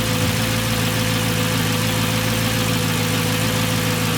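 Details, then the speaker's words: Manual-swapped Mercedes C55 AMG, 160,000 miles, first start on new fuel pump, recorded at rear: smooth constant idle with nice steady pump whir, no surging; pressure good, only tiny gauge needle fluctuation. "Alright, pressure is good. Pump sounds okay back here, nice and steady whir. That's good."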